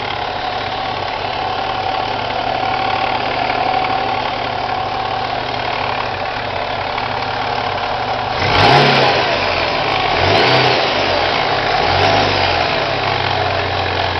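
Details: Chevrolet Cavalier supercharged with an M45, idling then revved three times quickly: an odd rhythmic noise from the pulley or timing chain area at the front. Cause suspected, not confirmed.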